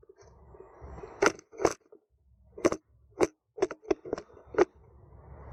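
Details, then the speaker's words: Toyota MMT semi-automatic gearbox with codes P0909/P0919, ignition on and engine off during the actuator learning procedure: uneven bursts of sharp clacks, about eight in six seconds, as the actuator retries and fails to engage a gear. "you will you will hear the same noise like click click click what it's mean you try to engage one of gear and no lucky try it again trying again no luck"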